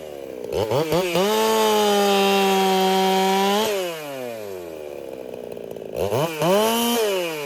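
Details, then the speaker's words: Racing-build chainsaw, either a Dolmar 7900 or a Holtzfforma 395, tuned noticeably fatter, which the owner fears may cost power. Crisp two-stroke howl climbs and holds steady pitch through the cut, drops back cleanly and revs again; normal running under load. "So definitely a lot fatter. Maybe that wasn't the best idea. That could cause me to lose power."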